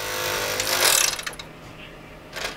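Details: Xbox 360 spinning up a Modern Warfare 2 disc that had come loose from its case rings: loud rough whirring grind, easing off then flaring again, as the loose disc scrapes inside the optical drive.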